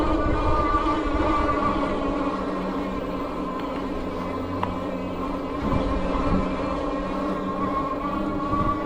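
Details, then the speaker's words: Troxus Lynx Plus fat-tire e-bike climbing at about 11 mph after a downshift, rider pedaling: steady fairly high motor whine under road and wind noise, slight push-pull felt; normal motor whine under load. "it feels fairly natural climbing there's a slight kind of push and pull with the motor so if I pedal at a constant rate feels a little better"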